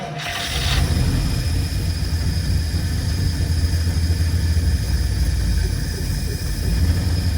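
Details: 1952 Cadillac, first start after years of sitting, following tank removal, fuel line repair and new fuel pump, starting on fuel in the carburetor bowl: brief crank, then catches into strong, steady low rumble, no misfires; normal start and idle.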